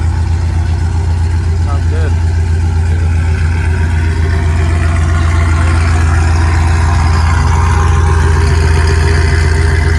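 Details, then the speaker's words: Cammed 6.0 V8 swapped into a Chevy Silverado, with new Speed Engineering longtube headers, warming toward operating temperature; deep, loping idle that is steady and even, with no ticks or hiss. Normal cammed idle. "Warm up and get to operating temp, see if the idle drops lower and starts chopping. And that sounds good."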